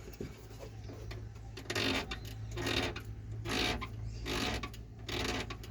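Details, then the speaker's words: 2010 Ford Ka rear suspension: dry rubbing creaks about once a second over low engine hum when going over speed bumps, persisting after lubricating shock absorbers, shock bushings, central axle bushings and shock tops. "quando passar alguma lombada depilação da rua ele fica com esse barulho"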